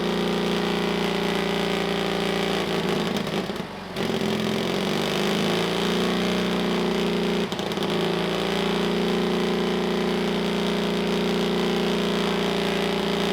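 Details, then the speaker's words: Pony starting motor of a rare 1954 Caterpillar No. 6 shovel, first run after sitting 15+ years, after cleaning the gummy carburetor float needle: loud, steady rapid firing with a brief dip around four seconds, then even running; healthy. "awesome yes that sounds good it's loud as heck it's already starting to burn off all kinds of wonderfulness on the top of the pony motor but whatever"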